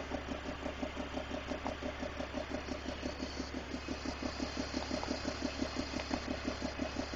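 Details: 2001 BMW 330i E46, M54 engine at idle: crisp, even ticking about three per second sounding like an exhaust leak; cause was loose spark plugs leaking combustion gas.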